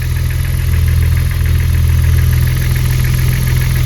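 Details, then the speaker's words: BMW E36 drift car petrol six at cold start, two days after last running, idles with a deep drone and light, fairly regular clatter. "c'était les poussoirs pour moi on les attendrait vraiment beaucoup plus ici"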